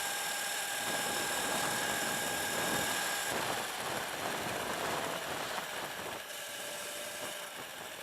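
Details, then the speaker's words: Sur-Ron electric bike ridden after a race collision: steady high motor whine with rough rattly edge and vibration, noise new since crash; owner suspects hit damaged swingarm area, loose parts found, cause unconfirmed. "Making the noise. It didn't make that noise before, so I'm thinking somebody hit my bike."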